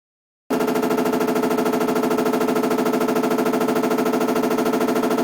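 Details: Washing machine model BW-D8HV: fast, even banging at about three hits per second, continuous and unchanging throughout. Repetitive knocking noise, cause unknown.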